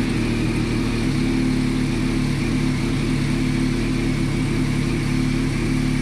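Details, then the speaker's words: Reassembled motorcycle after fuel pump rebuild and battery charge, airbox not yet fitted: steady, even hum holding one pitch, no misses or knocks; now running, normal idle. "Okay, bike is all running, just gotta get the air box on there, bleed the brakes, and obviously paint and bodywork repair, number plates, and then I think it's all good to go."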